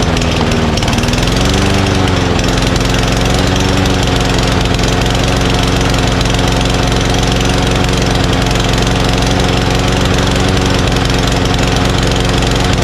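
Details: Mower after hard starting and the carburetor being banged: loud, steady single-cylinder chatter that holds speed throughout. Owner suspects the earlier trouble was a sticky float or bowl debris; not confirmed.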